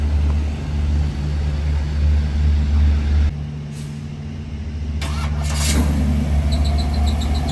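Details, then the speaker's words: 1973 Chevrolet Camaro LT with a 396 big-block and Turbo 400, turnkey. Deep, lumpy burble through headers settles into a steady idle, then blips up cleanly; normal idle. "But it's turnkey, it fires right up."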